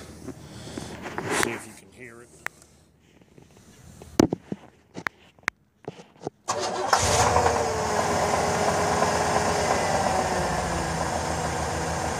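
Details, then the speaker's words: 5.7 L Vortec L31 V8 truck, 175,000 miles, which ran hot from a cracked radiator: it cranks, catches and idles with a light regular knock underneath that worsens as it heats; the cause is unclear. "truck's got 175 000 miles on it and it's got a little knock to it when it cranks"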